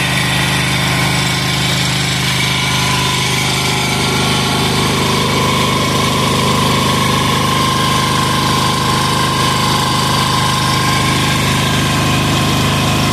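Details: Amazon 186FA single-cylinder diesel test-running on about one cup of Road Tech synthetic blend 10W-30 motor oil as fuel, with some diesel possibly left in the line, throttle about half: even, steady thudding at idle, holding speed with no knocks or misfires; normal idle.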